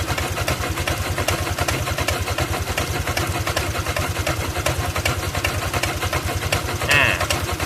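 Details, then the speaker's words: Honda Click 125i scooter started with brake held, at idle: steady, fairly quick tapping knock over the exhaust beat; engine knocking noise, cause not yet identified. "อ้ะมันก็จะมีเสียงเพื่อนั้นก็ก๊อกๆนะฮะอะที่ติดเครื่องเลยครับดีดเบรคติดเครื่อง"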